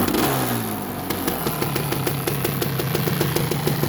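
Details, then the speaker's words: Suzuki LT250 Quadracer two-stroke quad that sat outside for years, after brake work, started while warm from an earlier run: crisp, rapid popping that climbs cleanly with each throttle blip and drops back evenly; it runs healthy. "good news it does run I will start it up here in a second I just had it running so it should fire up pretty easy"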